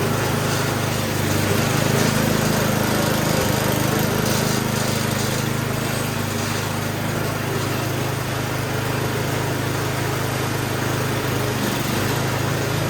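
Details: Murray snowblower small single-cylinder engine during a service: it buzzes along at a steady governed speed with no misses or rattles and sounds healthy.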